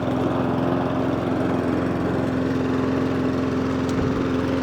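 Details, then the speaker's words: Mountfield SP454 lawn mower after a hunting and surging repair, with the slow-running idle circuit suspected as the cause: an even, steady engine drone at one pitch with no hunting, where it used to start hunting within seconds; normal running. "But already sounds better already. It took a little while for it to hunt last time, what I remember rightly."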